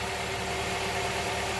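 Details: Honda Prelude SH idling warm after oil cooler/adapter gasket replacement for an oil leak; smooth, steady idle with an even hum, no ticking or stumbling; engine healthy, leak appears fixed pending checks over coming days.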